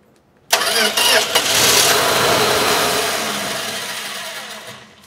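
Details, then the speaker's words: 1965 Plymouth Valiant, 170 Slant Six, engine reportedly rebuilt around 2000, just after a starter fix: cranks and fires briefly on ether with a rough burst, then dies; has ignition but fuel isn't yet reaching the top from the tank, crank no start from fuel starvation. "okay so with some ether it actually fired up for a second so we know this thing's gonna run it's just pretty much getting the gas from the tank up to the top so we have ignition"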